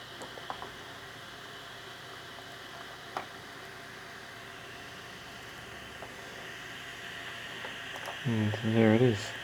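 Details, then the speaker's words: Old 80GB Seagate Barracuda 7200 RPM drive, plugged in via USB hub: a faint steady high whine under room hiss with no clicks or scraping; spinning and idling normally. "I think I've got like an 80 gig old drive that's useless for anything nowadays. I'll show you how it actually spins and works."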